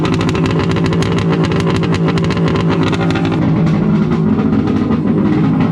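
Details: Wave Blaster jet ski after a 701-to-1100 engine swap, running after a rubber O-ring was removed to increase cooling water flow for a warm silicone pipe. Loud, raspy, even two-stroke roar with rapid steady pulses and no misses or stumbles. Normal running.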